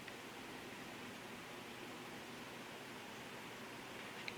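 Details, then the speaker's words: 1960s GE window fan after cleaning and oiling, motor shaft flat rounded off: soft, steady airy whoosh with no ticking, rubbing or hum on low. "And let's go up to high. It's quiet. It's moving a lot of air too."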